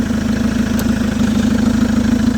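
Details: Chevrolet Captiva diesel after total cleaning of turbo and fuel lines, alternator confirmed charging: even, steady idle with regular firing beat and no misses or stumbles; all complaints resolved.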